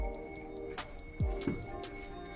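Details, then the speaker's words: Rywire Honda Civic, key-on after long storage with battery reconnected, coolant reading 66: steady high-pitched whine over low hum with soft clunks from drive-by-wire throttle motor getting power; normal. "So if you guys can hear that noise, it's actually my drive-by-wire motor. It's making a whining sound. It's just getting power."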